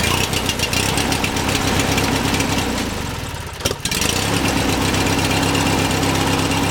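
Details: 18 hp Briggs & Stratton lawn tractor single-cylinder engine after replacing a sheared flywheel key that caused poor spark, misfire and no-start: steady thumping normal idle, briefly softening mid-clip before picking back up.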